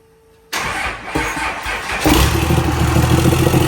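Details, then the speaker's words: 1200hp Cummins diesel truck just rebuilt with fresh turbo: cranks and catches, then runs rough with uneven metallic clatter over the idle; valvetrain noise, owner suspects valve-to-piston contact, unconfirmed. "It's It's not very It's not a very happy or healthy sound."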